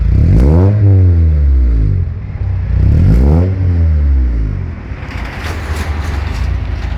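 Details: Mitsubishi GSR engine: two sharp revs rise and fall, then a scraping clatter rides over the idle; unidentified engine noise, source unclear.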